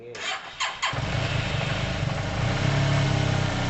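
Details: Yamaha TMAX scooter after carb clean, second start attempt without starting fluid, engine not warm, airbox off: a few cranking bursts, then a low, lumpy wavering idle; idle too low, to be adjusted up; unstable cold idle.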